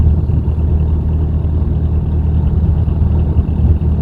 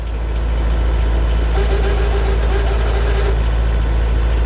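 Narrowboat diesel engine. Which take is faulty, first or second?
second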